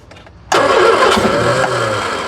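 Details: 1976 Triumph Spitfire 1500, sitting for years: engine catches at once on gasoline/transmission-fluid mix poured into the carburetor bowl, roars briefly, then fades as that fuel runs out; fuel pump not yet connected.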